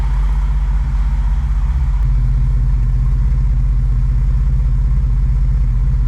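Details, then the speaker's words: BMW E28 M5 rebuilt engine on its first start, before coolant was added: deep, steady idle at about four pulses a second with no knocks or misses. Normal idle. "it's [Applause] alive it's alive everything's good on the"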